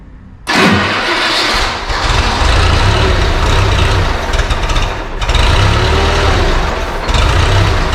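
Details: JLG 40G manlift after battery swap restored power: quiet, then catches straight away into a steady, even low rumble with no misses; normal start and run.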